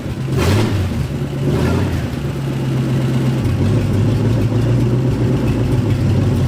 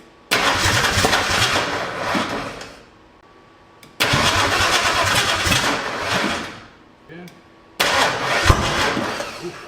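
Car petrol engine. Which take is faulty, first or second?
second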